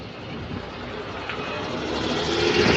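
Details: Riding on board an SLN 13063 B5LH bus on route 422: a whiny tone rises and falls with engine rpm over road hum, an abnormal noise never heard on this chassis before; cause unknown.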